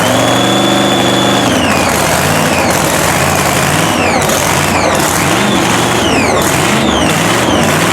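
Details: Blown 3,500 HP Hemi drag truck, start after an all-night rebuild following a 3-second pass. Loud, steady loping idle with blower whine rising and falling on blips; running on all cylinders.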